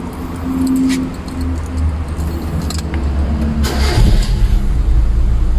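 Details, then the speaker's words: Proton petrol car with a 4G13/4G15 engine, started after the distributor was reinstalled to the correct firing order: keys rattle, a brief crank, then it catches first try and settles into a steady low idle with no shaking, misfire or exhaust popping; normal start. "One kick saja kita start. Bak. Sebab dia punya fairing order. Angam dia one kick saja kita start. Dia tidak engine bergegar, tiada bilang susah start, tiada bilang exhaust pandai meletup-letup."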